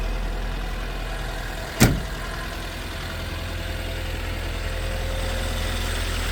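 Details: 1979 Toyota Pickup 4x4, R20 gas engine, 89,820 miles, about 3,300 miles since full rebuild: short starter crank, quick catch, then smooth, even low idle with no knocks or misses; normal idle.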